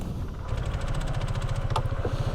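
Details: Nearly new 2022 Honda ADV150 scooter with 12 miles, in hot weather in the low 90s °F. Steady idle with a quick, light ticking rattle over the thump from the variator side. The rider notes the variator is noisy.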